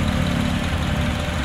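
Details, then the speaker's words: Honda CR-V second generation, idling smooth and even with a steady rumble and no tapping or knocking, after the valve cover, damper and timing chain cover were opened to trace a ticking (terektek) noise near the timing chain; normal idle. "enak banget kalau mesinnya normal gitu"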